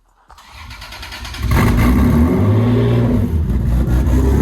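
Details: Lexus SC300, bought for $600, first start-up late at night: short crank, catches at once and revs loud and raspy through open exhaust with no resonator, then settles smoothly; didn't skip a beat, healthy.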